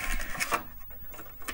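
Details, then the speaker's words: Kaypro II computer booting from a floppy: the drive gives coarse scraping and uneven clicks as the head moves; rough-sounding drive, cause not pinned down. "like this cape r2 actually works that V drive is pretty rough sounding"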